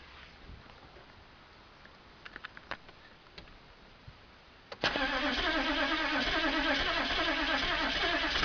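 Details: Chevy 6.5L turbo diesel, first start on a 40°F morning: near silence with a few faint clicks, then it suddenly catches and settles into a lumpy, rattly idle; hard cold start.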